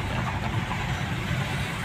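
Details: 2021 Okavango 1.5L engine after a no-start problem was solved: smooth, even low hum with a steady beat and no knocks or misses; idling cleanly.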